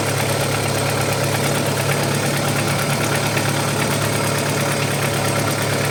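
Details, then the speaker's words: Audi 80 B4 2.0 petrol, cold idle before warming up, oil pressure gauge fitted; fast light uneven tapping over the idle, earlier it clattered like a diesel. Owner concludes it is probably the hydraulic lifters, not confirmed. "По ходу дела всё-таки гидрик."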